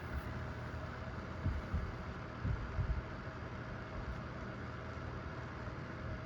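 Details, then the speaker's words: Vornado Flippi V10 personal fan switched to speed two: low, even whir with a faint steady tone and a few light bumps; normal smooth operation. "it's not um super quiet but it's not really loud either it's just kind of it kind of sounds like a kind of sounds like a tower fan"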